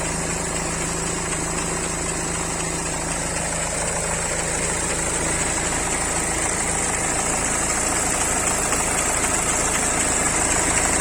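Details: BMW 3 Series cold start after sitting unstarted a long time during lockdown: cold idle with a quick, fairly even knock about four times a second over the engine note; unexpected engine knock, source undetermined.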